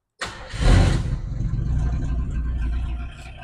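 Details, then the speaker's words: 1967 Ford Country Sedan wagon V8 with two-barrel carburetor, sat 30 years: short crank, then catches at once into a low, steady rumble; starts readily, but fuel leaks found and it is shut down. "all right fired right up listen to that see what I mean here but we got fuel leaks shut it down shut it down"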